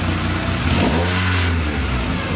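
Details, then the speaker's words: Mk3 car, put in gear with clutch let out: engine pulls steadily, pitch rising and settling, no stumbling or cutting out. Normally it dies in forward or reverse, reverse worst, after a rough start; didn't now. Normal running under load. "I don't hear it dying out at all."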